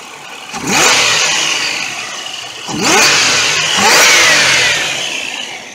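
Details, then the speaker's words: 1997 Buick Regal GS supercharged, new plugs and wires, cleaned MAF and IAC, revved at the front: three clean throttle blips rising and falling smoothly, no misfire; a noisy idler pulley, owner suspects bad bearing, still needs replacing. "do you guys another quick walk around runs really smooth now"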